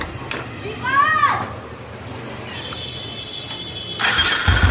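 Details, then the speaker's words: Royal Enfield after repair of a starter (self) noise that occurred on cranking and after starting: short clean starter whir, engine catches and settles with no grinding or rattle; normal starter engagement. "Self में गाड़ी स्टार्ट है और कोई साउंड नहीं है गाड़ी के अंदर। पहले जो कि साउंड स्टार्ट करने भी पड़ता था, स्टार्ट होने के बाद में भी साउंड आ रहा था।"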